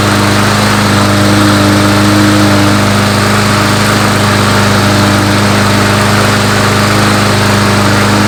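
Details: Small engine restarted with fresh gas after carburetor cleaning: fires and runs steadily with a strong, even drone and no misses or knocks, sounds healthy.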